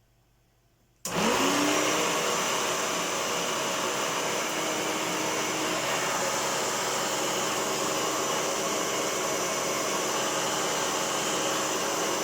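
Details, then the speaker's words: 1996 Hoover Turbopower upright vacuum, bought used and fitted with new consumables: motor spins up to a steady healthy roar, but a low grumbling rumble points to a worn brush roll bearing. "There is a rumble on the brush roll. You can hear a distinct bearing grumble on the brush roll."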